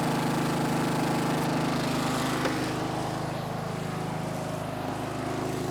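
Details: Snapper riding mower, garage-stored by the original owner, runs after the angled fuel tank that starved it of fuel was set back in place; its small single-cylinder engine chugs at a fast, even beat, no misses or knocks, normal.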